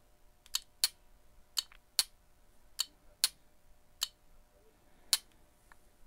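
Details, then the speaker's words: 12V two-pin on/off transmission solenoid from a Toyota transmission, bench-tested off the vehicle with alligator clips and a power probe: sharp, crisp clicks at irregular intervals, about eight in six seconds, quiet background; solenoid works electrically, normal. "See if we can hear any clicking. And sure enough, we hear clicking and you can actually see it too."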